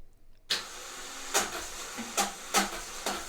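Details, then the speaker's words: 2008 Toyota Corolla Verso with a failing starter: sharp, uneven metallic clacks about once a second while cranking, engine not catching. The starter engages but does not push into the flywheel; starter motor replaced. "customer complaint is it requires a starter motor so we'll crank over and this is the sound of a bad starter motor"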